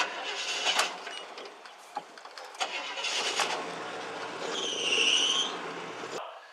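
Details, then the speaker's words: Truck after repair starts right up, brief crank then even idle without misses, purrs; normal start and idle. "now you can see that once this repair was made this truck starts right up and runs beautifully"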